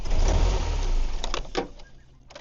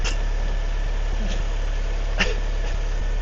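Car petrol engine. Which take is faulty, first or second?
first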